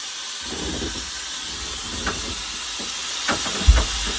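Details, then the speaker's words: 1973 American LaFrance Pioneer fire truck while driving: steady sharp loud hiss of escaping air over low rumble with clunks; an air brake line blew out, leak location not yet found. "Yeah, so right at the very end there, an airline blew out, and then you heard the big loud hissing before she even stepped on the brake on there,"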